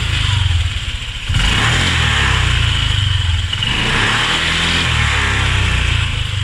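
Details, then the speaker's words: Honda Click 125i/150i scooter running: buzzy, humming rattle over the engine throb, heard from around the airbox; owner suspects the airbox. "Ayun dinig nga sa may airbox maingay umuugong kapag ika umaandar o kaya naman may nakakitang tunog"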